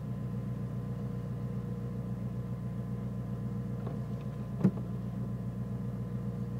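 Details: Nissan Micra turbo idling: a quiet idle with an uneven, lumpy pulse and one sharp pop partway through. The engine idles roughly and sometimes cuts out when braking, cause not clear.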